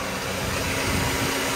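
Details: 2010 Honda Civic at idle with AC on, after removing the compressor clutch spacer washer to fix intermittent engagement: steady hum with an even air rush and compressor drone, no clatter or slipping squeal, air blowing cool; compressor running normally.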